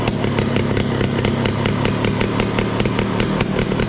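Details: 1968 Ski-Doo Super Alpine with Rotax 370 two-stroke, open exhaust with muffler off, after fitting cheap fuel line in place of the expensive line: quick, even pops with no misses. Normal revving after the fuel line fix.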